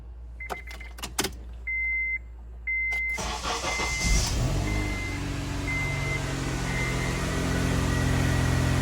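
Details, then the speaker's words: Honda CR-V after replacing a broken exhaust manifold bolt and welding a rusted muffler pipe: door chimes, then a smooth, low, quiet idle with no rattle or blowing leak; exhaust now sealed. "that sounds much better"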